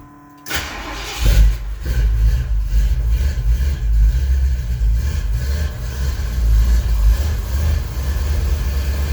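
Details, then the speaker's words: 441 V8 with SHP Pro block, 3-inch Flowmaster 3-chamber pipes, carbureted at almost 7,000 feet: starts first crank, deep lumpy uneven idle through loud pipes; running rich, owner plans to drop about 7 jet sizes. "I got to drop down about 7 jet sizes because we're at almost 7,000 feet, and she's running rich."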